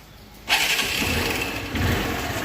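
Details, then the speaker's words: 2008 Hero Honda Hunk, about 16 years old, cold start after sitting 17-18 hours following the repair: quick catch then steady, even idle; the tak-tak noise that used to appear at cold start and fade after 5-10 km is gone. "गाड़ी start हो चुकी है य देखो noise noise पूरा stop हो चुका है गाड़ी जब को स्टार्ट करते तभी व न आता था"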